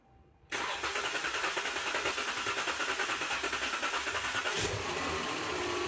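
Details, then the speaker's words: 2015 Chrysler 300 RWD, 3.6L 6-cylinder gas, automatic, code P0335 crankshaft position sensor circuit: starter cranks steadily about four seconds before the engine catches and settles; extended crank from the crank sensor fault. "so I'm going to go um start the vehicle and you're going to hear a crank a bit before it"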